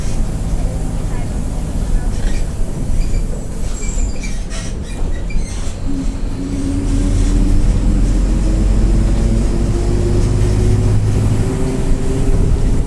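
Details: Onboard 2007 Mercedes-Benz OF-1722M bus with Marcopolo Torino body, Grande Londrina fleet 1110, line 505, Feb 2023, pulling away; rising tone climbing with road speed over diesel drone, worn differential whining.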